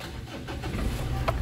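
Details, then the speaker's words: 2018 Mitsubishi Triton HDX 4x4 diesel, about 120,325 km: brief crank, then a steady even clatter with no misses; engine smooth, not limping, almost no blow-by; clean healthy start. "kita dengarkan suara mesinnya mesin sangat rata halus tidak pincang low by gas atau ngobosnya nyaris tidak ada"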